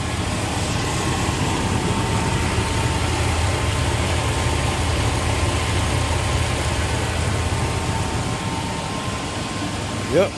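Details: 1997 Chevy C2500 5.0 V8 after replacing the loose idler pulley that threw the serpentine belt and installing the new belt: an even, low idle with no squeal or chirp. The front accessory drive sounds quiet and healthy.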